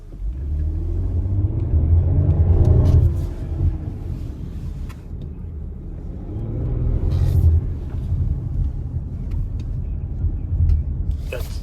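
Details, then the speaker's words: 2023 Chrysler Pacifica under acceleration and left turns, even at low speed; heavy low rumbling thump swelling in waves from the front end, gap found between axle and hub – loose axle nut knocking (inner CV joint also suspected). "pretty bad that's not the road guys that's that's an that's an axle nut that's loose or an inner CV joint"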